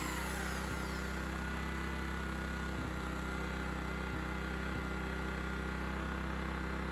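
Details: Honda EX1000 1 kW petrol suitcase generator, said not working, started after adding fuel and choke adjustment, tested with 350 W motor load: steady fast single-cylinder putter at constant speed, odd faint click; running evenly, healthy.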